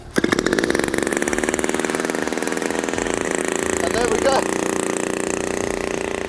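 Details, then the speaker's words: New Turnigy TP-series RC gas engine with CD ignition and Walbro carb, cold, hand-started with choke then choke off and idle needle set: crisp, even high-pitched two-stroke buzz, fires immediately and holds steady revs; healthy. "the choke is still on hear that see that pop straight away pops great now I'm going to take the choke off and because the idle needle is set what you should see is that it starts straight away"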